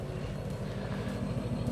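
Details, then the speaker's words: Range Rover L322 3.6 TDV8 diesel with the rear silencer (back box) deleted, EGR valves blanked and tuning box removed: a deep, throaty V8 rumble with a pulsing low beat as it revs, louder, sportier and rawer than stock. "You can hear that. Sportier sound with the"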